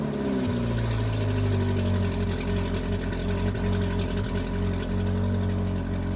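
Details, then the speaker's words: GM 2.4 Ecotec idling about half an hour after fixing low fuel pressure (codes P0228C, P0171); steady smooth idle, no misses or knocks, no check engine lights. "well guys she's been running out here for about a half hour uh let's see what she sounds like now compared to the last time no check engine lights everything's running fine"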